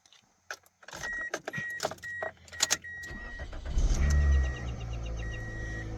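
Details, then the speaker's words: 2004 Toyota Corolla with intermittent no-start, after reseating and swapping a relay from a donor car: door chimes and clicks, then a short crank and it catches promptly into a steady, even idle; the relay's resistance or connections are suspected. "it starts. So it's either the fact that one, this relay, has a little bit too much resistance on it, which it can affect your circuit that way."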